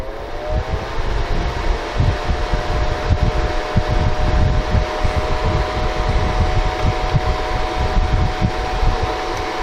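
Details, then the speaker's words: Honeywell ionizing HEPA room air cleaner after repair, reassembled: soft steady whoosh with a faint constant hum and no rubbing, squeal or rattle; bearings given a drop of oil; runs normally, nice and quiet. "Nice and quiet. A little bit of oil on the bearings helped, but you don't want to put a whole lot in there because it just attracts dust."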